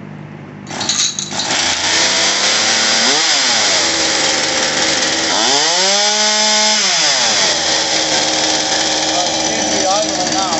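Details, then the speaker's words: Homelite Pro 4620C 46cc two-stroke chainsaw with new carburetor and fuel lines: fast steady idle with a couple of throttle blips, settling above normal. Idle set too high; lower it by richening the idle mixture screw or turning the idle speed screw. "this right now is running perfect it's got a brand new carburetor on it uh brand new fuel lines with the idle's a little high you can use this screw here to richen it up a little bit and it'll bring the idle down"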